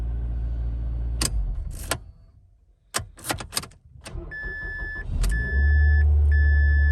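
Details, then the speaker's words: Mazda that would not start, after a new connector was fitted to the starter solenoid's single-wire terminal: a couple of quick cranks, then it fires right up and settles to a steady low idle. Normal start and idle. "All right, we're back in the car. Let's get it started up. And you see there, it fires right up."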